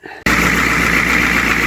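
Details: 1995 Georgie Boy Swinger 32ft diesel motorhome, after fitting a new oil pressure sender and long cranking: after a short catch it settles into a steady, even idle with smooth low rumble; oil pressure now reading, running healthy.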